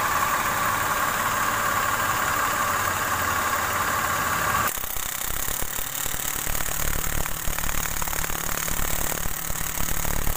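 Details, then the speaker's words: Mitsubishi Mirage idling with AC on: rough, irregular crackling from compressor, vanishing with AC off; compressor removed and found dry, no oil lubricating its plate. "Nah, jadi untuk kasus bunyi kretek-kreteknya karena pelumasan pada plate kompresornya itu sama sekali nggak ada. Makanya ketika dinyalakan AC suara bunyi kasar."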